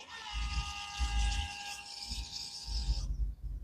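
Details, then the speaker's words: Audi SQ5 diesel after fuel filter replacement, fuel pump run via diagnostic output test on engine module: steady high whirring hum for about three seconds then cuts off, low thumps around it; pump priming fuel normally. "which is awesome so it's priming fuel then it's running on my system here hopefully it's going to run until it's full then I can start the car"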